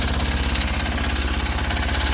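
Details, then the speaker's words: Sears Suburban 6HP single-cylinder diesel, smoke coming in: steady fast idle with light even knock each firing stroke, nothing irregular; typical healthy diesel clatter. "It always sounds like diesel's knocked a little, hey? I love the smell"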